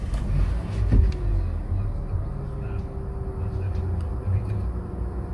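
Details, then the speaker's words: Nissan Pulsar 1.2-litre petrol, cold start with the AC off: low, steady idle with an even beat and no hunting; the rpm fluctuation appears with AC on, which the dealer blames on compressor load. "i did a cold start this morning with the ac off and yeah the engine ran smoothly see for yourself"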